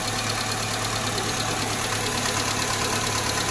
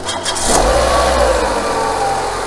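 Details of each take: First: Nissan Almera G15, Renault K4M 1.6 16V, first start after top-end rebuild with new hydraulic lifters: fast, light metallic ticking over steady idle at the valve cover; one lifter will not bleed up and keeps tapping. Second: Renault/Nissan K4M 1.6 16V engine after cylinder head repair with genuine replacement hydraulic lifters, replacing counterfeit ones that knocked: brief crank, then a smooth, quiet, even idle with no lifter ticking, no bleeding or warm-up needed; normal idle.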